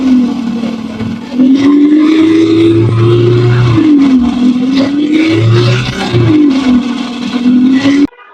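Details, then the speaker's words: Yamaha FZ V2 motorcycle with a dead self-starter, push-started in third gear: the engine note rises and falls unevenly around a mid-pitched drone, with rough low surges and a rattly top end; abnormal engine noise. "Vice আমরা তো শুনতে পারলাম যে bike থেকে উটঘাট একটি শব্দ হচ্ছে"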